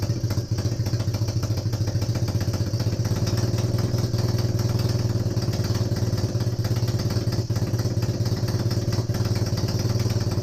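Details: Honda CB250N Superdream twin, rebuilt from boxes of bits, with new spark plugs, restarted warm with no starting gas after choke was reduced. A steady, even low idle with a light mechanical patter and no misses or knocks. Normal warm idle, with an oil leak at the engine front.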